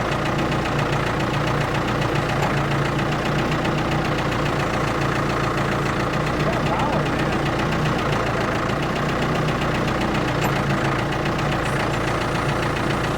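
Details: Ford 655A backhoe diesel under hydraulic load, steady even clatter and low rumble with no stumbles or heavy knocking; engine sounds good, blow-by very minimal, normal running.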